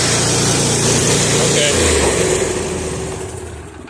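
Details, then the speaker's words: Bad Boy mower single-cylinder engine at full throttle with choke off, after ignition coil replacement: steady, even high-speed drone with no misses or knocks; running healthy. "Go ahead, bud. Start it up. Take the choke off. Leave it run for a second. Throttle up the whole way."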